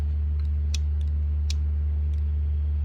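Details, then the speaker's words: Suburban camper bumper winch tested in reverse on direct wired control instead of wireless: a sharp single click about every 0.75 s over a steady hum and the motor never spins. Owner swaps in a controller taken from another winch. "Nope. Still nothing."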